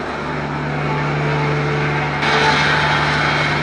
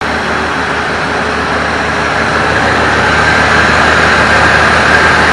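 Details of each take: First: 1965 Plymouth Savoy slant-six automatic, revived after 19 years, recorded at the tailpipe while warming up to burn off oil. Smooth, even hum with a steady low tone, no misses or knocks; no more shaking after repair, running nicely. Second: 1965 Plymouth Savoy (Canadian C-body) with slant 6 and automatic, revived after sitting 19 years. Cold and not yet run since the work began, the temp gauge starting to move. Steady idle with a little shake, no knocks or ticks; rough cold idle.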